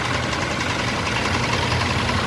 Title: Engine Knocking Rod Knock 6G75 Mitsubishi Pajero #mechanic